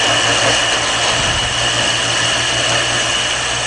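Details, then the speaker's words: Shopsmith lathe with lathe duplicator turning a taper: a harsh, buzzing scrape of vibration over the lathe's steady hum, chatter from feeding the cutter too fast. "you can tell if you're going too fast because of the um lay yeah see that he that hear that that vibration that means I'm going too [Music] fast"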